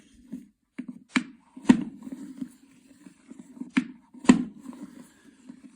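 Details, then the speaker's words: Hozelock garden hose reel retracting: sharp clicks in pairs every couple of seconds over a low hum as the spring-loaded peg passes over a lip while the drum rotates; normal retract clicking. "okay so the peg goes over the lip and this is why you hear a click every time the drum rotates when the reel is retracting like this this is what you hear"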